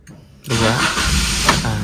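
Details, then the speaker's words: Car fitted with an aftermarket keyless start-stop kit in gasoline mode: after brake and button press, a roughly 2-second pause, then the starter whirs briefly and the engine catches cleanly into a steady idle; normal start. "ada jeda sekitar 2 detik baru dia starter ya. Setelah saya injek rem dan pencet tombol ya, selang 2 detik baru starter. Itu untuk mode bensin ya."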